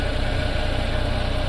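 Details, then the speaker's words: Tata Magic Express petrol after repairing a no-start, no-communication fault (wiring checked, DTCs cleared): smooth steady low idle with even beat, no misses, knocks or surging; running fine. "फिलहाल positive result है। किसी प्रकार की कोई check light नहीं है और कोई गाड़ी प्रॉब्लम नहीं कर रही।"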